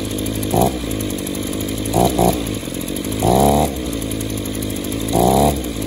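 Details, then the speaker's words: Echo Power Edge 280 curved-shaft two-stroke edger that runs okay at wide open throttle but dies at idle; after the fuel system pressure test, revs blip up briefly and fall back flat instead of clearing, loading up under throttle. Suspected clogged exhaust or scored piston/cylinder. "oh you hear that it still wants to load up it's going broke one of two things that could be exhausted stopped up and or the piston is cylinder could be scored"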